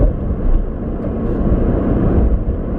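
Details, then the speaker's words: Nissan 350Z after rear wheel bearing replacement, driving around 40 mph where the whine used to start: steady low road and engine rumble with no whine rising above it; the new wheel bearing fixed it. "you start hearing this whining and it gets louder as you speed up I actually don't hear anything so I think that might be the problem that is the fix guy so it is the wheel bearing"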